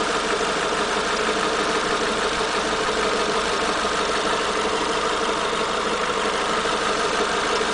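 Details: Renault Megane TCe 180 at idle: fast, loosely regular ticking clatter about three per second; noise returned after valve tappets were replaced; cause still unknown.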